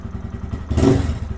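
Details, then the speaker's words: Lifan KPM 200 motorcycle with throttle position sensor set too high, reading 1.6% at closed throttle: slow uneven low thumping idle with a brief stumble; hesitant and likely to die on a quick throttle roll-on. "and it's got a little bit of hesitation in it if I roll on it really quick it'll probably die"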